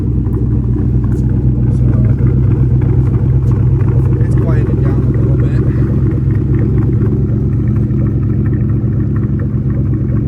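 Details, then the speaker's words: 2004 Ford Mustang Mach 1 V8 with replacement motor, Borla cat-back, warming up: high cold-start idle drops as temperature rises, deep even burble with no misses, knocks or ticks; normal idle. "typically with the the cold start, it idles high. As it starts getting up to temperature, it falls down on RPM and the note comes down a little bit"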